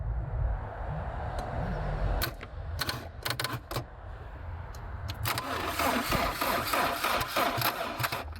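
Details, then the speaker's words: Abandoned, long-stored Land Rover Freelander, out of gear, power jumped, suspected immobilizer issue: a few sharp clicks then steady cranking about three turns a second; engine turns over freely, not seized. "It's turning over."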